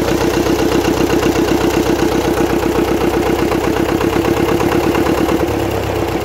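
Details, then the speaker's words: Gardner 4LW diesel, cracked head repaired, running after priming and bleeding the fuel system on a very cold morning; old unrestored engine. Slow, even thumping about four beats a second with steady exhaust chuff; normal cold idle. "she's going to be a bit smokey now whenever she starts uh because it's very cold here this morning and um it's only to be expected this is an old engine"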